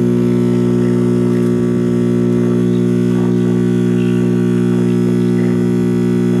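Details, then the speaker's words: GE C1530 hybrid tube AM/FM clock radio from 1965–66, first power-up: a loud steady low buzzing hum swamps a faint station. A bad filter capacitor is suspected. "Okay, we have tube illumination now. Sounds like we have a bad filter capacitor."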